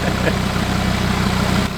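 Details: Audi RS3 DAZA five-cylinder at warm idle on first start during coolant bleed, thermostat likely opening; evenly spaced uninterrupted pulses, no faults, normal healthy idle.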